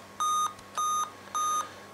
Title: 8 beeps error, display failure problem